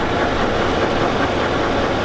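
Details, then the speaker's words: Chevy Avalanche pickup at idle: a loud, dense idle with a rapid knocking clatter steady throughout, an engine knock with the source not yet found. The owner says it is not the flexplate; the truck also has transfer case problems. "this is the reason why I plan to retire my truck you can hear it knocking like a 5-4"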